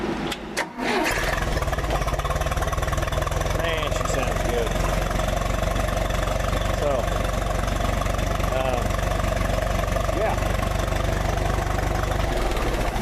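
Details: 1966 U302 engine after previous rebuild issues corrected, outdoors with muffler fitted: steady, even idle with firm exhaust pulses about three per second, no knocks or misses; healthy.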